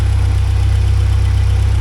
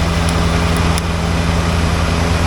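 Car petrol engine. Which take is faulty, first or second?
second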